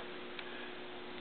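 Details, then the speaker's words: GE 400 W high-pressure sodium parking lot light fully warmed, glowing orange: steady low hum with a few light irregular ticks/rattling once up to temperature; normal behaviour. "Of course, makes a rattling noise once it gets up to temperature."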